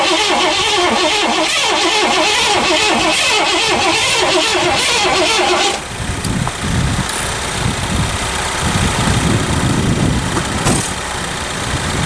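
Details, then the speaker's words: 1984 Lincoln Continental after sitting all winter, full of fuel, new battery: rapid steady cranking about four beats a second with no catch; negative battery terminal left loose over winter, then tightened and it started. "Alright, we're going to tighten this down because that was off for the winter, and then we'll give her another shot."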